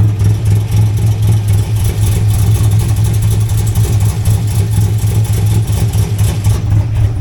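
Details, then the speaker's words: Camaro being chased for a misfire, idling with throttle spiking; quick regular puffing tick about four times a second, louder with the microphone low down, owner suspects an exhaust leak further down the exhaust. "so I'm pretty sure that's just an exhaust leak um but yeah it's just spiking throttle I don't know why it's doing that but the car is idling okay"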